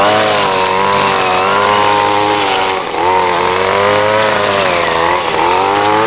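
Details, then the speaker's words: Ryobi SS30 30cc two-stroke trimmer after a carburetor low-jet adjustment: steady high-revving buzz with even pitch and only brief dips under load, no bogging or stalling. Normal running. "so just rent out a trim line but trimmers running great just a little bit of tweaking has definitely helped and it's probably not exactly fine-tuned but uh you know it's running great as far as I'm concerned here it's just not bogging down it's not stalling out"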